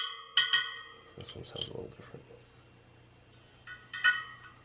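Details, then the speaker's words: Sur Ron Light Bee supermoto front wheel build, spokes pinged in turn, aiming for all the same high pitch: short bright pings with one at a different pitch, so that spoke's tension is uneven. "so you want it to have a like kind of higher pitchers higher pitch sound you you want all the sound the same basically"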